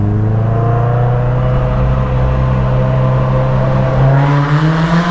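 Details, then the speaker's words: Cammed Miata: heavy, boomy low exhaust drone holding steady, then rising in pitch with revs; oversized trumpet-like exhaust tip amplifies the sound, making it sound bad. "ound like a trumpet so it enhances the sound and makes it sound like absolute garbage so um next owner can deal with that"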